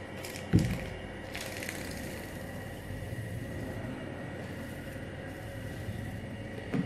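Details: Fan motor connected to 220 V after tracing common, running and starting wires: steady hum with faint constant whine, a couple of handling knocks; motor starts and runs smoothly and correctly.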